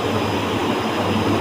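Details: Heat pump unit with six fans (three per 50% stage), compressor number two running: steady even rush of fans over a low compressor hum, no rattles, scrapes or knocks; normal operation.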